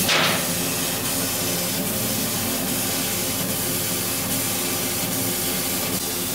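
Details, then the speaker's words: Laser cutter with chiller water warmed to 19 °C after about an hour's work: even airy hiss with faint soft ticks, no squeal or whistle; the laser cuts normally. "после замены дисцилированной воды this полностью прекращаются холодном состоянии в прогретом на годик полтора"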